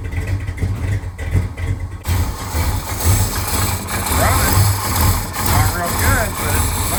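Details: 1970 Dodge Charger idling after a fuel pump install, first run in at least 18 years: low rumble with an uneven lumpy beat and occasional stumbles, a slight misfire.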